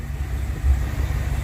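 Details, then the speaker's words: Freshly rebuilt Dodge 318 Poly V8 in a pickup, cold start without choke: deep, even low rumble with no knocks or misses, purring; smooth idle. Known oil leak at the oil pressure sender, tailpipes not yet fitted. "this thing's just purring like a kitten I am unbelievably happy with this"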